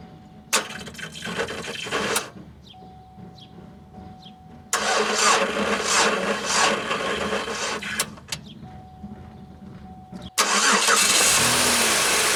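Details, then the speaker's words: 2003 Pontiac Grand Am GT coupe with weak two-year-old battery, cold day: sluggish cranking bursts of about three to four turns a second with a chime between tries; it barely turned over, and the battery needs replacing. "so that was actually the first time it did not turn over at all and i'm kind of surprised that it did this time"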